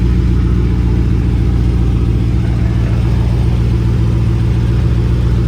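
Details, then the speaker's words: Car startup after fixing the exhaust rubbing and leveling the X-pipe: loud, deep, steady idle with no puffing or ticking at the pipes; checked for exhaust leaks and none found. "No, nothing leaking. Feels good."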